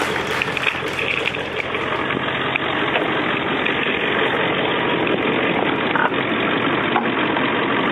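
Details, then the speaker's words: 2001 Ford F-250 idling right after a cold start that followed a battery charge and oil preheat: steady, even, unbroken rumble with no knocks or misses; healthy idle. "nice sounds like a beauty"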